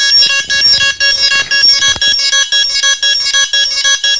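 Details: DJI Phantom quadcopter drone giving continuous firmware warning beeps: a shrill bright beep repeating steadily about twice a second.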